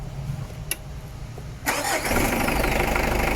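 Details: Mitsubishi Adventure with hard starting, two-week-old battery, cleaned starter and ground: cranking, then engine catches and settles into steady idle with light rapid pulse; charging present but slow response, charging side suspect.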